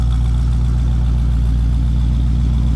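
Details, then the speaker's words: 1972 Ford Mustang Sprint with new exhaust, deep steady idle with AC engaged, tone changing slightly as the AC works, no misses or rattles; normal idle under AC load. "and that's what the AC on so you might hear the idle change tone just a little bit because the AC is actually working so"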